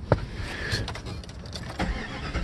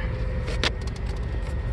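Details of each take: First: 1996 Jeep Grand Cherokee with warm stalling and sputtering, tested by wiggling and cleaning ECU wiring connectors; starter churns the engine steadily but it never catches; crank, no start. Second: 1996 Jeep Grand Cherokee that used to sputter and stall when hot, after cleaning the ECU connectors with contact cleaner, hot at about 210, in gear; low steady rumble, no stall or sputter; normal idle in gear.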